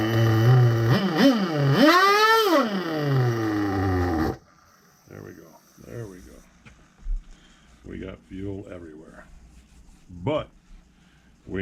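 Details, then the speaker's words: Vintage nitro RC engine running well with a good glow plug after refuelling and reattaching a leaking fuel line. It screams up and down in pitch with crisp, clean revs for about four seconds, then cuts off; healthy. "this sucker runs that was the only thing that mattered"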